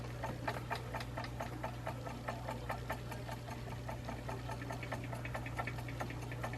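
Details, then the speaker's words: Juki DDL-8700 sewing machine sewing ribbon trim very fast: hum with quick uneven knocks as the shaking table bumps an object about an inch away beside it; table knocking from vibration at high sewing speed. "yeah so when I get sewing the whole thing kind of shakes and like where it's at um usually knocks"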